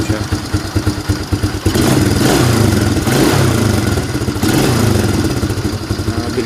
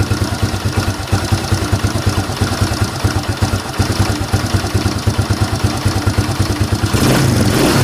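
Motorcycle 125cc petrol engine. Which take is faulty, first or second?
second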